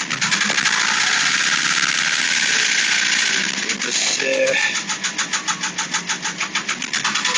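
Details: Porsche 996 late-model 911 Carrera 4, about two months and 2000 km after the noise began: hissy top end with a regular pulsing beat about three per second; noise vanished off-throttle, suspected fuel pump, but an internal engine failure needed engine replacement.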